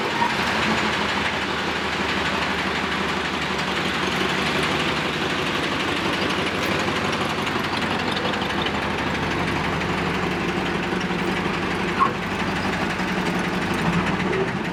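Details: Camaro first run after exhaust repair: rough idle with a constant metallic rattle and knock over the engine, something loose deep in the motor; cause unconfirmed.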